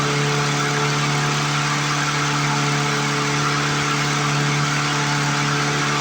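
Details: 1997 Lawn Chief push mower, after clearing a mouse nest and fixing the return spring, throttle cable and sticking bail cable: a steady, high-pitched drone with no surging, but it sounds like it is overspeeding; cause unknown, and the governor looks free and working.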